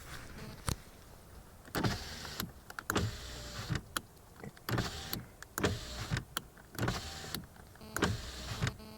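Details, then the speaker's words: Lada Vesta driver's power window: motor runs in short bursts with dry rattle and scrape as glass closes; caused by loosely tightened glass-to-regulator slider mount, fixed by shifting adjuster toward pedals and tightening. "Слышим, да, какой-то, как дребезг, что ли. Непонятный скрежет."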